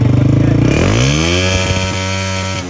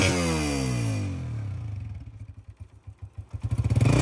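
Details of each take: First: CG 125 single-cylinder motorcycle revved: revs climb then stutter with uneven drop-outs while throttle is held, misfire also felt riding at 40–80; spark plug and plug cap suspected, not confirmed. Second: Honda CG 125 single-cylinder motorcycle after its misfire problem was addressed: starts, settles to a steady idle, then revs up and down cleanly with even firing and no misses.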